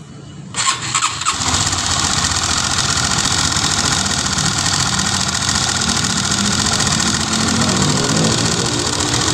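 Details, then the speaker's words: Honda Sonic 150 (K56) single-cylinder, head open, upper-engine clatter: very noisy busy metallic top-end rattle; camshaft worn on one side, valve clearances scattered (IN 0.25 and EX 0.30 gauges fit, 0.20 won't on other side), weak oil flow to head. "Ini suaranya itu berisik banget ini."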